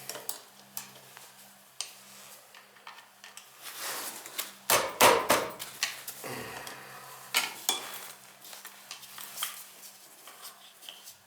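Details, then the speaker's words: Beckett oil burner tripping its reset button every day or so: steady low burner hum with irregular light metallic clinks and rattles; a part near the air shutter suspected of affecting air intake; metallic rattle in oil burner. "Hear that thing making noise? I don't like that thing. That might be affecting our air coming in to this thing."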